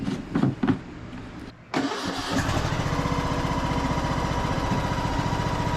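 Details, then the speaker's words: Craftsman YS4500 21 hp single-cylinder tractor after repairs and greasing: after a brief startup a steady, even engine beat settles in, with no pulley noise or rubbing. Quiet, healthy running. "enough nice and quiet so much quieter I don't hear any pulling noise at all engine's nice and quiet on here"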